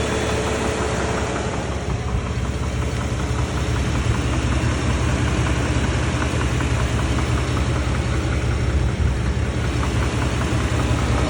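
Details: 2019 Shelby Baja Raptor at steady idle: faint irregular knock, around two to three a second, under the drone from the engine bay; cause unknown.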